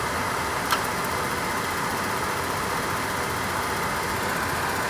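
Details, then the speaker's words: Dometic furnace in a 2020 Winnebago Micro-Minnie 2108DS, under a year old, after ignition failure: sail switch reseated in the correct orientation, furnace finally ignites giving hot air; even blower whoosh over steady burner rush, no cycling or clicking; normal operation. "finally ignited and it's giving me hot air"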